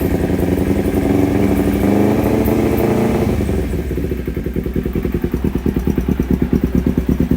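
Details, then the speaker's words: Kawasaki Ninja 250 twin-carburetor engine with open air filter, suffering hesitation, power loss and high fuel use: uneven, stepped revving with pinging and severe vacuum fluctuation, falling back to a lumpy idle. Carburetor problem suspected. "Untuk bantingan vakum itu cukup parah ya, sudah mulai kedengaran serasa ngelitik gitu. Coba kita hayati lagi. Kita naikkan RPM sedikit demi sedikit."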